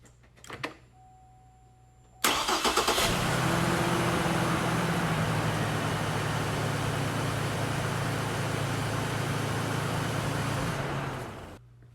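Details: 2009 Chevy Trailblazer 4.2 after fixing a P1682 crank-no-start through wiring repair; short crank, catches at once and settles into a smooth, steady idle; normal crank and start.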